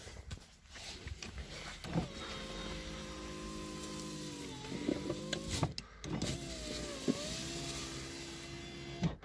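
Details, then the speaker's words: VAZ 2115 power window after cleaning the channels and applying silicone to cure an odd noise and stiff glass travel: smooth, even motor hum with no scraping or grinding, slowing at the stops; the glass now moves better. "звука нету все работает замечательно стеклоподъемник даже стал лучше работать стекло опускается лучше"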